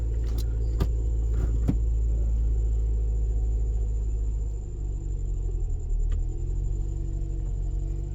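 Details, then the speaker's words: First-gen Scion xB idling at startup after the rear engine mount was replaced with a solid mount: steady low rumbling idle with an even throb and no knocks, only very slight vibration; engine barely moves. "okay and this is the startup now with that solid mount in the back [Music] if it calls the door you can hear it it's very very slight vibration"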